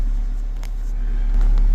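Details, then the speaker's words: Car audio system with two 16000-watt amplifiers on a Trunk Thunder lithium battery, powered from battery alone; deep, even subwoofer bass thumping during bump test, steady level, no rattles or breakup: normal subwoofer bass playback. "So yeah, it also passed the bump test. I did a little bumping in here and kind of listened to it, and everything sounds right."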